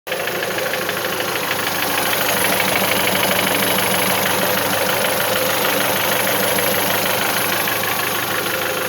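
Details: Mitsubishi 1.8 engine at idle: dense fast metallic tapping, roughly three per second, over the engine throughout; knock present, cause undetermined.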